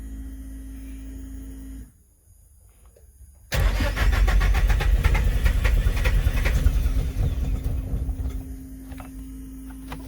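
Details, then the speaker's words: Car: starter spins steadily for several seconds, engine coughing but not catching; ignition timing well off, fixed by adjusting the trigger angle. "if my timing is off one more time yep definitely sounds like the timing itself"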